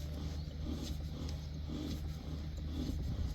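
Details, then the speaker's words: RKS Freccia 150 scooter: low drone with a faint, rough rasp about once a second; variator components already replaced, so worn gearbox (transmission) bearings are suspected, to be replaced. "tırt tırt diye bir ses var şöle daha yakın alayım V kaslarından diye düşünmüştük"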